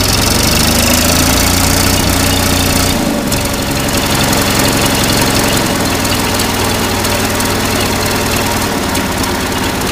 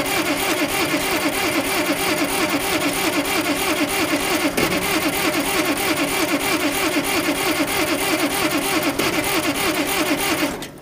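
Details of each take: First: Oliver 770 Industrial tractor under restoration, started without ether after fuel pump run: rough loud idle with steady low chugging settling after a brief dip. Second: Oliver 770 industrial tractor, previously starting without ether, cranking with fuel pump running: long steady cranking at about three compression beats a second with no catch; no start, owner suspects starter fluid would start it.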